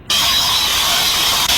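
A steady, sharp hiss with almost no low rumble, like air or gas escaping through a faulty valve. Cause suspected, not confirmed.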